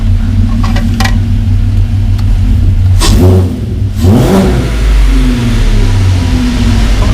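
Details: Mk1 VW Caddy with V6 4motion conversion, first start, straight pipe with silencer, no coolant yet: idle rises and falls smoothly through two quick throttle blips, no knocks or rattles; revs freely, healthy.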